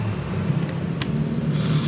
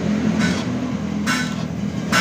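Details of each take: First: Yamaha Vega (Python) motorcycle with AC ignition that won't electric-start, starter motor bench-tested grounded to the metal case with key on and starter button pressed: smooth, even whirr for a couple of seconds, no clicking; normal starter motor spin. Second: Yamaha Vega motorcycle with AC ignition whose electric starter only clicks; the weak battery drops to 8 V while cranking against a 10 V minimum. Repeated sluggish, slow cranking that never picks up speed. Starter voltage drop.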